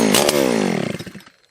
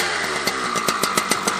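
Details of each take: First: Husqvarna 281/288 chainsaw revival on the first pull with choke out. It catches with a sharp rising buzz, then sags and sputters out within a second. Fuel starvation, as the carb was empty; brake cleaner in the bottom end is suspected of giving the brief start. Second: Husqvarna 281/288 chainsaw revived after a no-spark fault, with a replacement coil, fresh gas and a new pull cord, started with decomp: crisp, even high-revving buzz with a steady firing rhythm, no misses or surging; it runs healthy.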